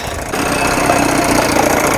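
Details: 1980 Evinrude 4.5 hp two-stroke outboard after carb rebuild, new fuel line and filter, pulse tube diaphragm fix and float adjustment: small engine ticking over at a steady, even idle with no hunting or dying.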